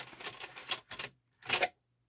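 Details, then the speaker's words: Denon UD-M50 CD changer after disassembly and reassembly: dry plastic clicking and clatter as the mechanism tries to work, but the loaded disc won't spin up. "just sounds like it wants to spin but you can hear the mechanism making noise"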